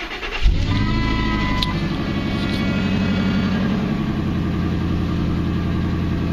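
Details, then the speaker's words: 2002 Ford F250 starting and idling with a faint thin whine over the idle from the power steering pump, which owner thinks is near failure; whine is worse at three in the morning and quiets when the wheel is turned. "you're probably gonna hear a really loud wine from the power steering pump which I don't think has very long to live"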